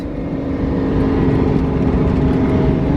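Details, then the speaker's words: Nissan 240SX S13 with a 555 hp 2JZ, after a differential replacement and first start in 3-4 weeks, driveshaft spinning: steady, even drone building as it pulls away, no clunks or knocks. Normal running. "so far so good no clunking nothing car's running perfect"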